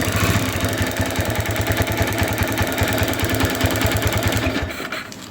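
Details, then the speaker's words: Motorcycle ignition coil test: with the plug lead bridged by a wire and a gap of over 1 cm, the small single keeps firing evenly with no misses. The coil's spark is still normal. "ya masih normal berarti pengapian di koilnya masih nyala ya"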